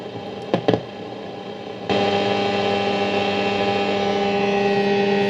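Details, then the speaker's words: Philips 3362A 1946 Australian valve radio, sold as working, powered up slowly to about 180–200 V with aerial connected: after clicks, steady hum and hiss under thin muddy audio; weak, distorted reception, fading. Cause suspected, not confirmed. "okay it is working doesn't sound very good though very healthy I should say"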